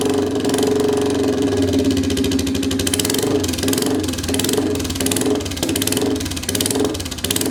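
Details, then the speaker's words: Royal Enfield 350cc Bullet, not run in a while, started with a custom megaphone exhaust fitted with a baffle: loud single-cylinder thump with crackles and pops as revs fall; over-fuelling suspected. "Uh, a lot of crackies in that. That could be that uh cat coming. Cat takes a lot of that out. So, like over fueling it."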